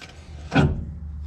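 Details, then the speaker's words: 1966 Dodge Coronet with 318 poly V8, jacked up: harsh scrape as the front wheel turns backward, then a dull hum; wheel grinds and binds in reverse from broken pieces inside, possibly a broken spring. "it locks up going in reverse there's uh like broken pieces and parts in there huh and i was driving it that way huh that's nice oh yeah something gets stuck in there broken spring or something or and binds it up going backwards that's nice well that was definitely my noise"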